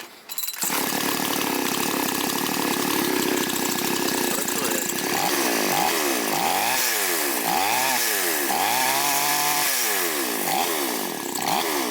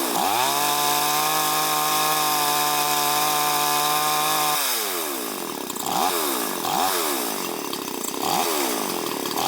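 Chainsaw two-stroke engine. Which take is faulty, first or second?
first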